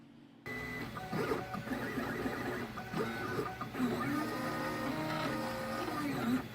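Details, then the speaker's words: Stepper motor driven by a genuine Pololu A4988 driver, compared against a clone: smooth tonal whine stepping up and down in pitch as the motor moves, over background music; normal operation. "here's a look at what a genuine Pololu a4 988 sounds like and what temperature that it runs at"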